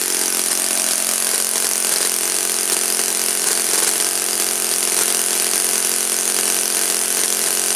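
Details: Saito FA-56 four-stroke glow engine, first run after teardown, cleaning and bearing replacement; apparently moderate-time engine on 12x6 prop, OS F plug, 5% Omega fuel. High even buzzing rasp held steady at full throttle, no sag or surging; normal full-throttle run.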